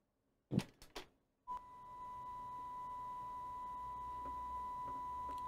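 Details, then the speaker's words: Coomber 393 language-teaching cassette recorder before speed adjustment, playing 1 kHz test tape: clean steady tone measured about 993 Hz without wavering; speed close, slightly slow, head not fully aligned. "993 Hertz or thereabouts that's pretty good"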